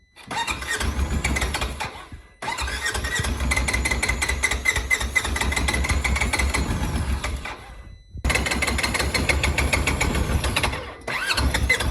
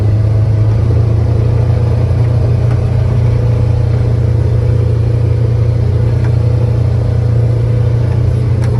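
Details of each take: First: Polaris Ranger 900XP side-by-side that is very hard to start and has a loud motor noise. Compression was 125 psi on one cylinder and about 85–90 on the other. Cranking is long and repeated with short pauses and won't catch cleanly; the cause of the hard start is not yet found. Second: Polaris Ranger 900XP side-by-side after repair, driven in high gear. Smooth, steady drone with no rattle; it sounds much better and runs clean and healthy.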